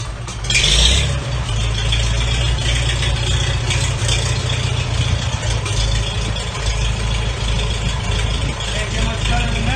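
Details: Rebuilt 1942 Farmall H tractor engine on its first start after restoration, with a donated rebuilt magneto: steady low chugging with a loose mechanical rattle on top, running evenly after catching.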